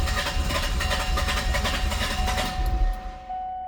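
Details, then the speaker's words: Warm diesel car with all glow plugs confirmed working: rapid uneven starter churning for about three seconds with no catch; long cranking, hard start, cause not found, ether considered. "Yeah. And that's with uh with all the glow plugs working. Oh yeah. Now it's really mad. Yeah. It's pretty frustrating this car."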